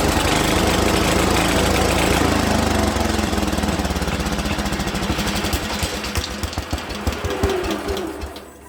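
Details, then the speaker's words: Speedex 1630 garden tractor small engine, probably not original, second attempt after fitting a new carburetor: rough popping settles into a fast, uneven putter about four beats a second, then dies away; engine starts and runs. "She runs, guys. She runs. We finally got her to run. Success."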